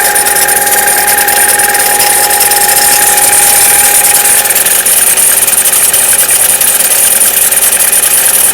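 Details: Chevrolet Cruze cold start, below 0 °C: idle with steady metallic ringing and quick regular tick about three a second; ringing disappears after a minute of running, no noise at 0 °C and above; origin unclear.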